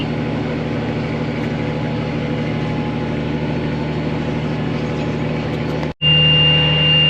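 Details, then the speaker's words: Massey Ferguson planting tractor: a steady high seed-monitor alarm rises over the even tractor drone, showing failure number 10; the row 10 seed box is found empty. "So you can hear it beeping. Normally I'd be stopping right now. It says failure number 10 I'll stop now. So that must mean she is empty."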